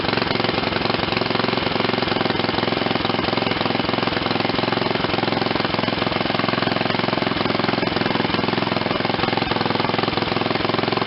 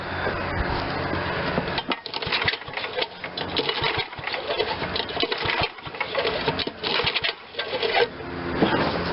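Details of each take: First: Old Ariens RT7020 rototiller, Tecumseh HH70 7 hp horizontal-shaft engine, revived after sitting: quick even single-cylinder putter at low throttle near idle, steady beat with no misses; running properly. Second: Old Ariens RT7020 rototiller, Tecumseh HH70 7 hp horizontal-shaft engine, sat a while, carb cleaner sprayed in: repeated rattling pull-cord cranking bursts with pauses, never catching; cranks but won't start.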